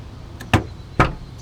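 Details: Nissan 350Z after replacing the failed door handle: two crisp, solid clunks about half a second apart as the handle is pulled and the latch releases; door latch works normally.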